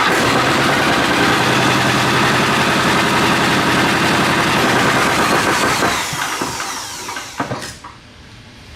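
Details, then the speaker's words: Cheap Temu 10 hp, 411 cc diesel (3,600 rpm max) cranks with fast, even chuffs about four per second, then winds down without firing; owner suspects no or bad diesel in the tank and plans to drain it and refill with fresh fuel. "So it's not running. I mean, it could be like there could be not diesel in the fuel tank."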